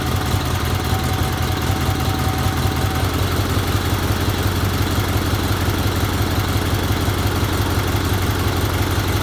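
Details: 1977 Sears 16/6 garden tractor with Onan twin, after carb rehab, new plug wires, used float, GT18 coil and original GT18 points, running on old gas: steady, even low thrum with no misses, knocks or surging; runs smooth and healthy.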